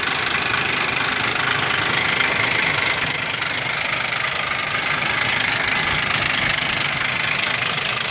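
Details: 2001 Ford Explorer Sport 4.0 SOHC at idle: harsh, fairly even metallic rattle at about three to four beats a second, with low compression on all three right-hand cylinders; owner suspects the right-hand timing chain or cam sprocket.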